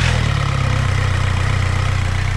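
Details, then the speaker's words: Skoda Octavia 1.9 TDI diesel after injection pump replacement, timing checked, intake manifold removed so it is loud: even deep clatter at idle with a steady beat, no misses or knocks; running properly. "Là, il fait du bruit parce qu'il n'y a pas d'admission."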